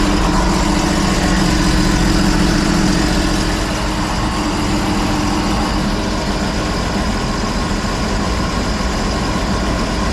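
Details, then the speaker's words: 2016 Sea-Doo RXT 260, bone stock, freshly rebuilt engine with a newer-style carbon seal, warming up: a steady, even note with no misses or knocks, idling right at 1700 rpm with only condensation smoke and no check-engine light. Normal running. "no more smoke this is a condensation it will smoke it will keep going so zero smoke that's good ID is perfect right in the dot 1700 there's no check engine line or nothing on it"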